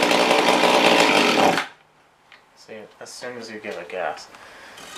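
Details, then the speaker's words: Mantis rototiller that won't rev: with very little throttle the small two-stroke buzzes hard a moment then dies abruptly; cause found to be a wrong or bad carburetor gasket blocking the fuel pump passage. "granted i gave it very little gas just dies so i want to check and see if maybe it's a tuning problem"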